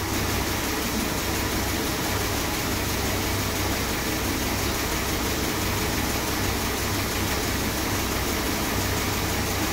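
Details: Freshly rebuilt 440 big-block Mopar in a 1966 Chrysler New Yorker, first start-up after install, still warming up: even, steady low-rumbling idle with no misses, knocks or ticks; runs sweet and healthy.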